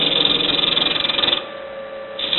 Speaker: You can hear the vibrations. This is a freshly sharpened tool bit. Once you get about a 1 inch down, the vibrations seem to die out.